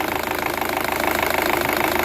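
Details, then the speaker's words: Chevrolet Cruze LT idling with a fast, steady metallic ticking rattle from the timing gears at the front of the engine; suspected worn intake cam phaser, to be confirmed by removing the cover. "el problema que tenemos en este cruce que nos hace un ruido en los engrane le vamos a dar marcha para que lo escuchen Dale marcha pueden escuchar este ruido viene de esta parte de aquí de los engranes"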